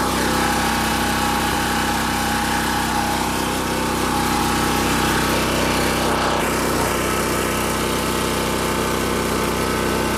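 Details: Champion 4000-watt generator curb find, previously said not to run and carburetor rebuilt, now on non-ethanol fuel, started on choke and tested with loads: a constant, even drone with no misses or surging. It runs normally.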